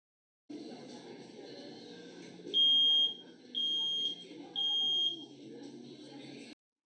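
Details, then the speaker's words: AK5706 acoustic activity analyzer demo: three loud, high half-second beeps over noisy room sounds, correctly recognized as the standard smoke alarm T3 pattern from beep length, gap and count. "similar to the last demo we played some noisy room sounds and the system correctly recognized the alarm as a t3 pattern"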